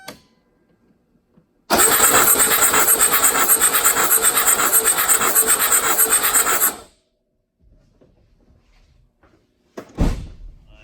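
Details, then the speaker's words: 1982 Mercedes 300SD diesel, non-running, compression test on cylinder 1: about five seconds of fairly even cranking; reading just over 200, about 225, low compression near the minimum. "That's the #1 cylinder. Just a little over 200, 225 or so. So that's pretty low compression, unfortunately."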